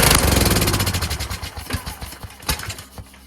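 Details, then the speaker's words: Kohler Courage engine on a tractor, on choke after a cylinder head swap, carburetor replacement and valve lash adjustment; it fires unevenly, stumbles and nearly dies within seconds. Owner suspects the throttle bracket: with a return spring it wanted to stop, without one it ran well if held. "It's the same as before. has something to do with this throttle bracket. I put a spring here to have it return, but it was causing it to want to stop."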